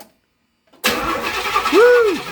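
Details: Carbureted barn-find car with a mostly stock engine bay and a fresh battery, cranked while checking for spark with an inline tester (spark confirmed): after silence, the starter spins the engine steadily with no firing. Cranking without starting.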